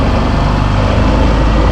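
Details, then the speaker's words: 2024 Suzuki Burgman Street 125 repo scooter after a restart: steady, even low idle with no misses or knocks and no smoke; engine sounds healthy. "Ayan guys, goods to goods guys. Yung unit na to, pakinggan niyo yung makina niya."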